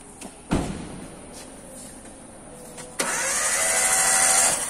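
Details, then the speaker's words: Toyota Avanza / Daihatsu Xenia K3-VE engine: after a few clicks the starter spins with a steady high whir for two seconds but the engine never fires; no spark at the spark plugs, cause under diagnosis. "Kemudian ini kita cek kenapa ini tidak bisa di starter ya. Setelah kita starter, kemudian tidak ada percikan pengambil listrik pada busi."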